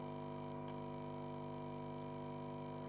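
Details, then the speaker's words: Breadboarded quasi-complementary 5 W power amplifier with preamp powered by a Wanptek bench supply: faint steady 1 kHz tone over circuit noise and hum, no oscillator connected; suspected breadboard and PSU combination, not confirmed. "but there is circuit noise there, but if you listen closely, you may be able to hear a 1 kHz signal there."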